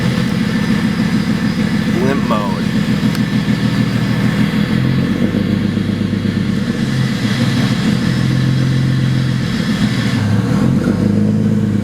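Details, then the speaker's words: 2008 BMW 135i single-turbo (752whp), acting up after clutch replacement, throwing throttle valve potentiometer codes: uneven lumpy idle that sags and surges, hesitating and wanting to die randomly; owner suspects the throttle body; rough idle with hesitation. "so it doesn't run right it kind of hesitates I guess it won't stay idling right it wants to die randomly"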